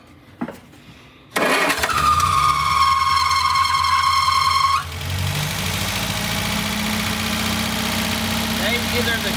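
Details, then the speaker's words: 1960 MG MGA 1600 out of storage, fed by an auxiliary tank with float bowls prefilled, started at the starter solenoid: brief whir, then a steady even idle with no knocks; 60 psi oil pressure, previously leaking hose now dry. "That sounds good. I don't see any oil leaks down here from the hose we had problems with last time."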